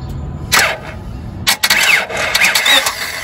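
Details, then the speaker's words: 1997 Honda Civic 1.6L D16Y7, intermittent then no start; fuel, injector pulse and 150 psi compression fine: uneven cranking that never catches; igniter control present but no spark from ignition coil, coil failed. "I'm just going to crank this again to mirror verify we have no spark we should see a spark jump in that Gap right there and we do not so"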